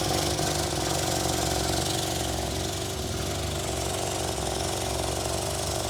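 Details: 1963 Austin Healey Sprite after SU carb cleaning and exhaust leak repair, cold start before enrichment tuning: steady even idle, no exhaust popping or stumbling; normal idle.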